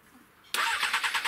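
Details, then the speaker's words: Crash-damaged Honda CBR 600 with the fuel pump running: it catches and settles into a sharp, rhythmic clatter of about seven beats a second over a thin idle, then stalls. Engine knocking ("cracking noise"), cause unknown. "through there's that noise again so it ran stalled and i was definitely running on fuel and then you've got the cracking noise again"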